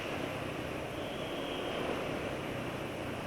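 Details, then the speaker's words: Engine running on Adnoc S3+ oil after adding 2T side oil: smoother, noise from the front of the engine reduced; even, steady run with no knocks or rattles. "sekarang lebih halus ya jadi suara yang depan mesin Kayaknya sudah berkurang"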